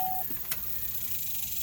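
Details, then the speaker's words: 2005 Corvette with the key fob present: pressing start gives a single short beep and a faint click with no cranking; a no-start warning chime, with the steering column lock suspected. "And it won't start. And I know that's a common problem for the '05 model, so I mean, I did, whatever."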